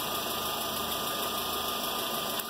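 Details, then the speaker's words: VW Fox that would not start, and misfired when it did, with the timing belt found fitted a few teeth out of time. A steady idle with a hissy, uneven roughness and faint irregular stumbles. "o carro está montado fora de pronto trabzon possíveis falhas do carro montado fora de ponto"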